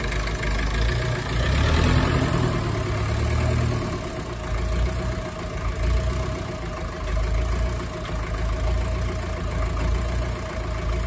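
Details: Ferguson TEF20 diesel tractor, sat over 10 years, restarted after a year of no-start by bleeding air from the fuel system: steady low chug with an even, unhurried beat, no knocking or misfire; idles cleanly.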